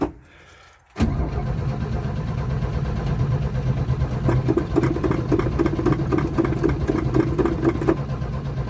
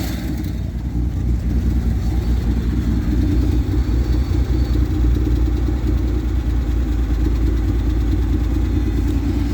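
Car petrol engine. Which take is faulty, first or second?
first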